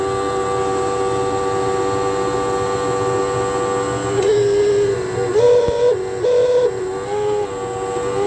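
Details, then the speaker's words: Hotpoint NTM1192SKUK tumble dryer, side panel off, before pump replacement: loud, steady whine with a wavering pitch that surges as the faulty drain pump runs dry with no water to pump out. "but this one here I think develops a little bit of a fault so it's incredibly noisy when it gets uh to pump but it hasn't got any water to pump out it's pumping dry play that to you now"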